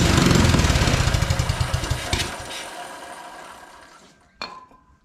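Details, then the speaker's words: Non-running mini bike, spark confirmed: runs only on brake cleaner spray, fast rough firing about three to four beats a second fading and dying within seconds; won't run on its own fuel, carburetor tuning suspected; fuel starvation. "it does not want to run on the fuel that is in it clearly it's only running when I give it some brake cleaner here so I'm not sure what the issue could be here"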